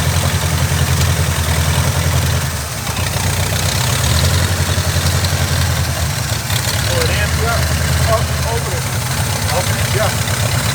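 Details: Carbureted Oldsmobile Cutlass with Rocket 350 and Quadrajet, after closing adjustment screws during vacuum-leak hunting: deep, steady V8 burble at idle, even with no stumbles or misses; leak later traced to the back of the carburetor, likely gasket.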